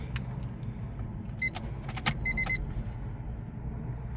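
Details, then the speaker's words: Honda Civic EK with a no-start/won't-stay-running fault, battery at 13.1 V after sitting 24 hours, key on: relay clicks and chimes, then silence with no pump hum; fuel pump not priming, owner suspects a cheap worn pump. "volts I don't hear the fuel pump kick [Music] on nothing"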